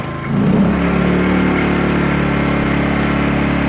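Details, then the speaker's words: Sportsman GEN2000i inverter generator, first start after unboxing, economy mode off: picks up within a second and holds a quiet, steady, even hum with a low buzz; normal running. "First pull. This thing is really quiet, okay? I'm right next to my camera, but this thing is not loud at all."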